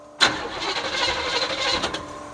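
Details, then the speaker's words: 1972 Chevrolet Chevelle, sat 5 years, fuel dripping from a cracked nut that may suck air: the starter spins with a steady whirring crank but the engine never fires. No fuel reached the carburetor yet; priming planned, cause unconfirmed. "it may help to try to prime it a little well that's not thinking i was going to try that trying to see if we got anything to the carburetor yet no not yet let's prime it"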